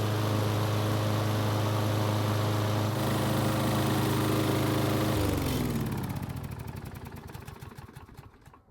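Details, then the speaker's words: Troy-Bilt XP self-propelled mower, a free non-starter, after repair and blade sharpening and balancing; its single-cylinder engine starts without issues and runs with a steady, even putter, then is shut off and coasts down; self-propel works; it runs healthy. "the good news is that it started without any issues and the self-propel is working well too"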